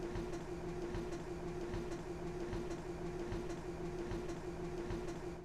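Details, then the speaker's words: Grand Design fifth wheel RV slide-out after DIY replacement of a failed slide motor that had been sticking and hesitating for over a year: even, steady motor hum and gear drone with no binding, clicking or straining; normal operation. "Well, all right, we've got the slide motor replaced and everything is working as it should, and we can finally stop worrying about this thing."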